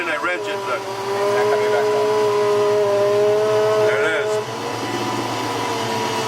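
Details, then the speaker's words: 1993 Ford Mustang GT foxbody, Coyote Aluminator swap, hydroboost after fluid change and rerouted lines: steady mid-pitched whine holding while the wheel is turned, then dropping away; brake pedal sinks, air in the power steering suspected. "I can hear the whining and here's what happens when I turn it"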